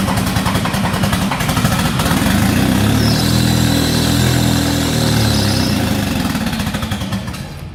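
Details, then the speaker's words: Nissan S13 whose cam timing likely jumped; only runs with cams turned past their bolt holes: cranks and catches into a loud, uneven, lumpy run. Jumped timing suspected, to be confirmed at the valve-cover timing marks. "the major issue here is it more than likely jump timing the only way we can get it to run is to super the cast past the actual bolt holes on the cast so that leads us Belize's timing issue"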